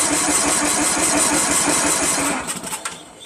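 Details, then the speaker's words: Craftsman LT1000 16 hp lawn tractor, fresh gas, battery on charger, choke on: steady starter cranking about three turns per second with no firing even after spraying starting fluid; solenoid clicks, no fuel suspected; crank no start. "I can hear the solenoid opening, closing. It's not getting any fuel, but we sprayed it in there, which means it should have had vapors going into the intake manifold and igniting from the spark."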